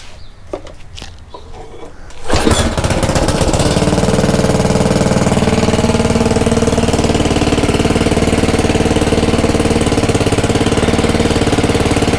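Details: Craftsman/Ryobi rototiller after belt replacement, throttle about 3/4 in neutral: starts after a couple of seconds and holds a steady, even chug without misses or knocks; runs fine.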